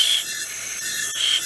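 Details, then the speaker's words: Chevy Monte Carlo after a head replacement, cylinder leak-down test, engine off. A steady high hiss of compressed air is heard. Air escapes through an open exhaust valve to the tailpipe with the piston off top dead centre. "you can feel that coming in the exhaust p well the thing's got to have a tail pipe"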